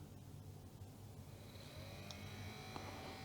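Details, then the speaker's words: Commodore CDTV (Amiga-based CD console) cooling fan, cleaned, tested out of the machine before replacement: steady low rumbling buzz with faint whine, sounds like a little tractor; noisy cooling fan. "Oh yeah, it's quite noisy. Sounds like a little tractor."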